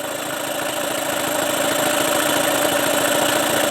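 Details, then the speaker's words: Tracker (Mercury Marine) 9.9 HP outboard, stale after a year unused, running on choke with idle adjustment on fast: uneven low-speed chatter gradually picking up speed, a little smoke, pumping cooling water. "still on choke it's running when you recommend I take it off choke foreign I still have this idle adjustment on fast although it doesn't sound like you're throwing very fast"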